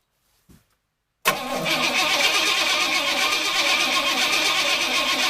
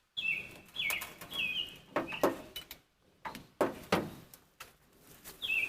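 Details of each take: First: Engine cranked using a portable jump starter with no gas in the tank: the starter spins it hard at about four beats a second but it never catches. Crank, no start because it is out of fuel. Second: Car jump-started with a K2 jump starter: several rhythmic cranking bursts, then the engine catches and settles into a steady loud run. Normal engine start.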